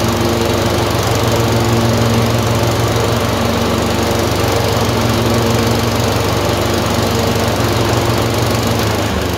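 Twin-cylinder mower engine running with an uneven, loping beat and irregular skips; surging with a random misfire, cause not yet known. Cause suspected, not confirmed.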